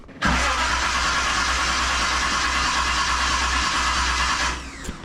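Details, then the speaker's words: 1978 Reliant Scimitar SE6a, Essex V6 with carburettor and automatic: after a half turn on the throttle stop to raise idle, the engine catches and settles into a low, slightly uneven idle under a loud airy hiss; still low, cause unconfirmed. "I'm going to give that a we half turn. See if we can bring the idle up a wee bit and see if that helps"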